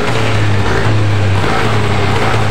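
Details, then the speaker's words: Yamaha NMAX after reassembling CVT, gearbox, exhaust and rear wheel: test-run gives an even, smooth low drone with no more rear whine; gearbox quiet and healthy. "Dan ini kita tes hidup dan suaranya juga sudah lumayan halus Ya sudah tidak ada bunyi nguing lagi di bagian belakang atau di bagian gigi"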